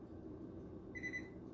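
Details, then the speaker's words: Frigidaire Gallery refrigerator FGHB2866PF3 with a failing ice maker: two buttons held under 10 seconds to start auto diagnostic, giving a short high beep over quiet room hum, then nothing, so the self-diagnostic fails to start and a manual diagnostic is needed. "if i press these two for a few like you know less than 10 seconds and it goes beep beep and nothing happens there's another process we have to go into"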